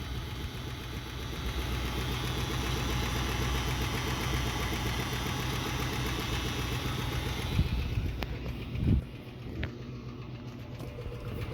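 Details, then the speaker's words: 1966 Ford Mustang 289 found with no oil and black oil, burning oil and smoking when warm: rough, uneven knocking at the oil pan and light tapping at the top end, then engine shuts off; spun rod bearing. "So that's knocking to me. I've heard a lot of spun bearing engines. I've blown up a few engines myself racing and that's that that's bad. That's not a good sound."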